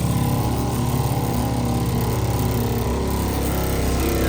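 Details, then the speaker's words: Suncast Water Works 4-compartment concession sink, water pump just switched on after filling the system, pumping water. Loud, steady buzzing drone at constant rate, no knocking or surging; pump running evenly. "But anyway, let's turn it on. The pump's going to come on. It should be pumping water now."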